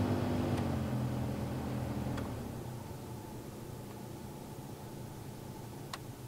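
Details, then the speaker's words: 2004 Jeep Wrangler Rubicon HVAC blower after repair of only-high-speeds fault: strong rush at top speed, stepping down to a faint low hum on lowest setting; blower now works on every speed. "You can surely hear that. That's definitely working. Let's go to three. Definitely higher. And four is really high."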